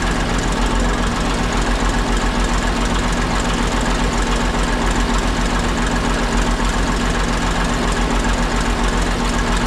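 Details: Ex-military 1959 International dozer, left at a scrap yard for months, on fresh batteries: after running a couple of minutes the smoke cleared. Even, steady diesel idle with its usual clatter, no misses or deep knocks; sounds healthy.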